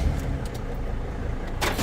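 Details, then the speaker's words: Van-life vehicle engine at start and idle: low, even rumble runs steady with no grinding during start and no check engine light. Normal start and idle. "Wow. I don't want to jinx myself, but no check engine light, no grind during start."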